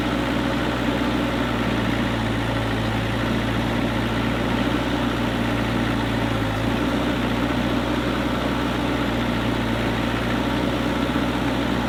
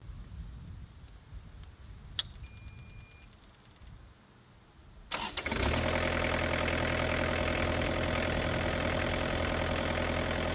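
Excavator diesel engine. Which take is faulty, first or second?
second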